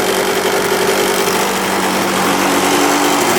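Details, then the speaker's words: 1986 Yamaha YZ125 two-stroke barn find on 40:1 premix, choke on, first start: loud, raspy idle with an uneven, wavering beat. It smokes and shuts off if idle drops too low. Owner suspects low compression, and fuel leaking from the carb suggests float height is off. "she shut off if it goes too low it shuts right off so she doesn't like to idle"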